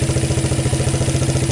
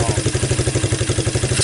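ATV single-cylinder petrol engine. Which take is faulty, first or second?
first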